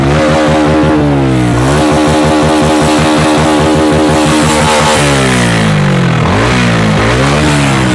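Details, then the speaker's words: TVS Ronin 225 single, about two years old, revving with a harsh rough clatter over the exhaust rising and falling with throttle; owner can't identify the noise, unresolved. "এই যে দেখেন, এটার একটা এমন একটা আওয়াজ আসছে, আমি বুঝতে পারছি না যে এটা কিসের আওয়াজ। বাইকটা কেমন ভিন্ন আওয়াজ আসছে, বুঝতে পারছেন?"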